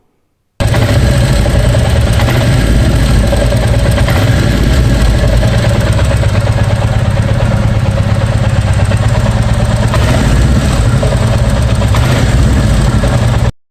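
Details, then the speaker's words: 2023 Royal Enfield Bullet 350 single: irregular rattly clatter as the throttle is released and revs drop to idle, also noticed slowing from 50–60 km/h for curves. Unchanged a week after service said it would fade. Abnormal noise on throttle release, cause unconfirmed. "तो यहां पर आपने सुना होगा engine से जब मैं throttle देने के बाद उसको छोड़ता हूं और वो आइडल कंडीशन में आने लगता है उस टाइम वो इंजन अजीब सी साउंड निकालने लगता है और यह साउंड सुनने में बहुत ही ज्यादा इरिटेटिंग है"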